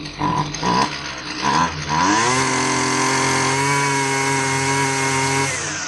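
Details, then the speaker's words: Husqvarna 128L string trimmer after fuel line replacement; it was boggy and responded inconsistently to carburetor adjustment, richened slightly. It sputters in short bursts, then screams to a steady high rev. Running lean; the metering diaphragm was found hard as a rock. "It didn't respond consistently to my efforts to that's a clue. And in this case, I feel that the metering diaphragm is probably stiff."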